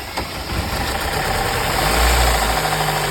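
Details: Opel Astra petrol engine knocking at idle with a rough, irregular knock from oil-starved crank bearings. The oil warning lamp was lit, antifreeze and oil leaked everywhere, the radiator and heat exchanger had failed, and the engine was dismantled.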